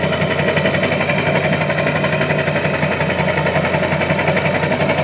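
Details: Diesel with a modified HPOP pump idling rough: uneven, lumpy beat of roughly three pulses a second with a wavering note; rough idle, cause not confirmed.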